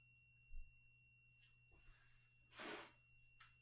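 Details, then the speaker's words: Steady piercing high-pitched whine of unknown origin in a kitchen while cooking, holding one pitch with faint overtones and some kitchen clatter; source unidentified. "I don't know if you're even hearing the high-pitched whine. All right. So, while that's getting started, oh, Chad says you can hear the high-pitched whine."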